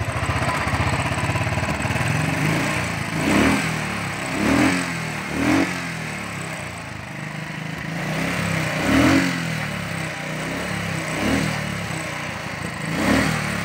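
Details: Royal Enfield Thunderbird 350 after starting and misfire fix with throttle butterfly replaced: even single-cylinder thump, throttle blips picking up and settling smoothly; normal running.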